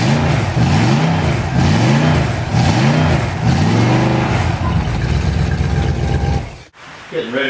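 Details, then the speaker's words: Reconditioned-bottom-end Ford 390 FE big block on test run, swells through several smooth revs then settles evenly with no knock or miss; healthy, apart from alternator or water pump noise. "so the alterator or the water pump making that noise it runs absolutely beautifully"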